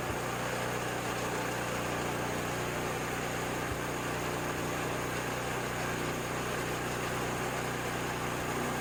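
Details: Ariens 724 snow blower, unused 2 years, after carburetor clean and rebuild; primed, no leaks, choked for start. Small engine idles steadily and evenly with no stumbling or surging under a constant hiss; running fine.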